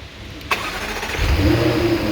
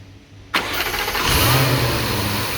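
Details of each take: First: 2015 Jaguar F-Type supercharged engine, 72k miles, after hydrolock repair: restart where starter catches after half a second and engine fires cleanly, settling into smooth, even idle with no misfire or knock. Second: 2015 Jaguar F-Type engine, 72k miles, after hydrolock repair with new starter, plugs and air filters: cranks and catches with a brief rev, holds about two seconds, then sags and dies; stalls with mass airflow sensor unplugged.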